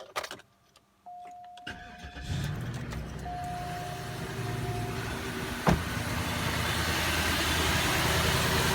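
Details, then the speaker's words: 2005 Cadillac DeVille with check engine light on and backfiring from the exhaust: cranks and catches, then an uneven, lumpy, shaking idle with a stumbling beat; bad misfire, cylinder not yet identified. "is shaken like crazy and it is not firing correctly here look what my hands are walking on that's not a normal Idol it is misfiring badly"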